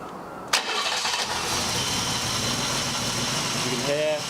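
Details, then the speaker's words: 1979 BMW E12 520 barn find, sat 30 years, fuel lines refilled, first key turn: a brief crank catches almost instantly into a smooth, even idle with a faint high whine, which the owner thinks is from the missing airbox. Normal quick start. "literally first turn on the key fire straight into [Music] life this thing does sound sweet"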